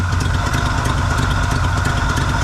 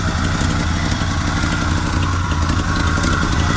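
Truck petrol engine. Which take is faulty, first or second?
second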